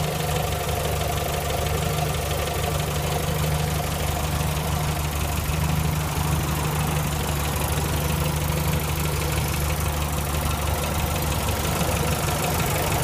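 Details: 1965 Morris Minor small four-cylinder petrol after owner rebuild (stripped engine, valves ground in, new gaskets, gearbox, clutch, mounts): idling steadily with an even low beat and no knock or miss; runs sound.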